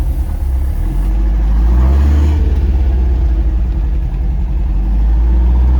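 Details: Porsche 914, 2056 cc engine, performance cam, enlarged valves, dual throttle body MegaSquirt EFI, Tangerine Racing exhaust, on test drive after basic tune: deep throaty note pulls smoothly as revs climb under load, no misfire; strong torque to high rpm, normal.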